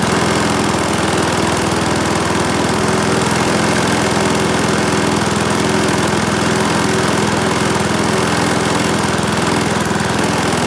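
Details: Briggs and Stratton single-cylinder mower engine, serviced after oil starvation or neglect, gives a steady buzz at even speed with no misses or knocks; runs smoothly.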